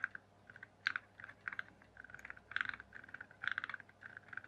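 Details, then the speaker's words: RC rock crawler, motor not running, axle turned by hand after resin-moulded UJ repair: sharp irregular light clicks, as if a gear in the gearbox is catching or something is not lined up right. "somewhere. Sounds like something's not quite lined up right."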